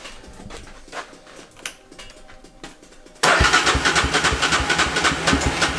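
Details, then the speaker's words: 500cc Chevy pickup Power Wheels build (Polaris engine) after packing the empty exhaust muffler: engine bursts in and revs crisply with an even, snappy note, no knocks or rattles; runs healthy. "guys she is snappy yup she sounds good"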